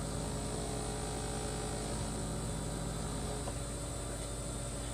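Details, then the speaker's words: 2-year-old LG refrigerator LFXS24663S with compressor running: steady low buzzing hum with several fixed tones over the condenser fan whir, from the one-piece plastic condenser drip pan and fan shroud resonating. "I think the problem is actually resonance with the drip pan this is a one-piece plastic drip pan that the coil assembly is sitting in the fan is of course attached to it"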